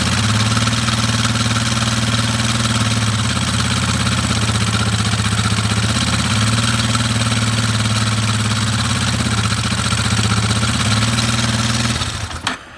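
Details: Warrior #4 single-cylinder, briefly warmed up after valve adjustment, timing chain tensioner near its limit: idle with a light, quick tick over each beat; still something there, owner suspects the timing chain tensioner.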